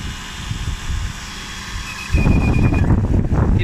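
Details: 2001 Lexus GS430 brake noise: low rumble, then a faint high whine and a sudden loud low drone while the brake pedal is pressed and held.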